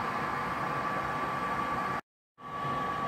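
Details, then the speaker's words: Bradford White direct vent water heater blower, heard in the basement: steady, even fan whoosh with a thin whine, fairly quiet; the fan motor is normal, noise comes from the 3-inch exhaust pipe outside. "the biggest problem is everyone thinks it's the fan motor that's making a lot of noise that's not the problem as you can hear it's fairly quiet we're in the basement"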